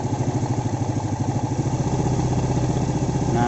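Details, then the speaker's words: Vega ZR single-cylinder had a rough noise and heavy smoke three months after boring, with its piston already at oversize 100. After refitting with a standard Vario 125 piston it starts easily and idles smoothly and evenly, with light top-end chatter and no knock: healthy. "hidupnya gampang terus suaranya juga halus"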